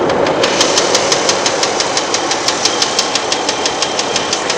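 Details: Running engine with sharp, light, high-pitched ticks about three per second, even and steady; ticking noise whose cause isn't yet known.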